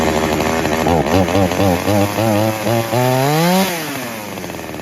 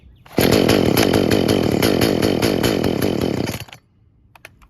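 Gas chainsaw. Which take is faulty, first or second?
second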